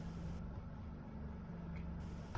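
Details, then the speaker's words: Diesel engine of a 1997 steel fishing vessel, after 5 years on dry land, with new batteries, new fuel filter, fuel system bled and old oil still in. Starts first try, then a low steady rumble with even firing and no knocks or misses. Normal idle. "First, let's see if it starts at all. So, moment of truth. It started like a dream."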